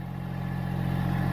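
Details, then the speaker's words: Massey Ferguson GC1710 tractor after repairing a broken wire at the temperature sensor on top of the water pump, revved to about 2000 rpm: steady, even diesel drone, no knocks or misses; temperature gauge now rising as it should. "As I suspected, that was the problem. I had the tractor revved up to about 2,000 RPMs right now, and the temperature gauge is starting to rise as it should."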